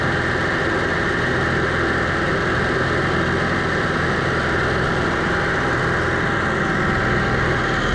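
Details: Onan 5500 motorhome generator that idled rough, died and backfired, running after carburetor cleaning and fuel filter refit: steady, even hum with no stumbles or surging throughout; running smoothly.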